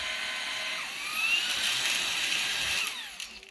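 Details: Perrysmith vacuum after repair: motor had kept jamming and stalling from clogged hair; cleaned, drilled and bearing adjusted back. Strong, steady high-pitched motor whine holds even, then winds down at the end; motor runs healthy.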